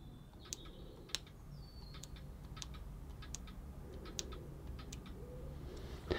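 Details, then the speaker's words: 2013 BMW E92 N43 exhaust camshaft VANOS solenoid, removed and bench-tested with 12 volts in either polarity: sharp crisp clicks about once a second as power is applied and released; solenoid working properly. "They're both going to operate the solenoid. So, if I was to go here and here, hopefully you will hear it operating."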